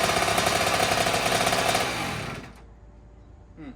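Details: 2009 Kawasaki KX85 two-stroke after new fuel and jets: crisp crackle holding fast, tapering over two seconds, idling high and lean. Owner suspects an air leak.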